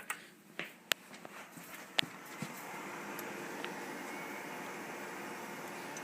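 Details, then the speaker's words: Seagate hard drive from a 2006 first-generation Intel iMac, tested by booting Ubuntu: a few sharp, uneven clicks about once a second over a soft whir, then settling; a dead drive with the click of death, a mechanical failure. "so this drive is dead flat out dead yeah that uh that sea gate drives you into classic skeet skeet skeet skeet ski click of death you know that sound"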